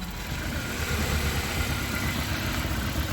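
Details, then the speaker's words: Honda Accord CB7 with swapped G23 VTEC engine idling lumpy and stumbling: misfire on cylinder 2, which has spark but shows no change when unplugged; fuel delivery to its injector being tested. "as you can hear she's misfiring pretty good I want to come up here to the injectors"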